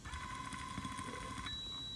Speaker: It's going to make this noise, and that's just turning on. Anything above halfway on channel 2 will turn on the control board inside of here.